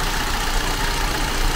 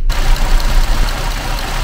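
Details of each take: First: Vauxhall Tigra 1.4 petrol at idle after cleaning the throttle body, MAF and O2 sensor: the earlier chug is gone, and it holds an even, steady, smooth hum with no stumbles or hunting. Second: Vauxhall Tigra 1.4 petrol idling with a rough, uneven chug and loping beats before the fix; cleaning the throttle body, MAF and O2 sensor cured it, after a possible wrong-cylinder part change.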